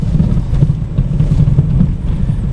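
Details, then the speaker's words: VW Passat B5 driving slowly over bumps: dull, loud, rubbery thumps from the front over low road rumble; strut top mounts knocking, owner suspects the wrong mounts were ordered. "сейчас это очень слышно я прям не знаю стараюсь ехать медленно но никуда не денешься от этого звука он оглушающий просто гуп гуп они очень слышно"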